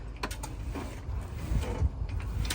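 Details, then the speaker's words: 2015 Tesla Model S steering after loosening and lubricating the steering rack bolts to fix clicking from the rack and tie rod area: steering turns quietly over a low hum, only faint ticks, no creaking or clicking. "right, so you don't hear the creaking sound anymore. So yeah, this is what it sounds like. This is how it should sound like."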